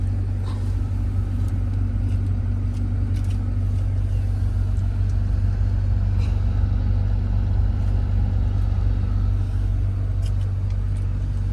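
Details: 2011 BMW 528i F10, N53 3.0 L inline-six petrol, check engine light on: heavy, uneven low chugging at steady engine speed, shaking and sounding like a diesel; misfire, cause unknown.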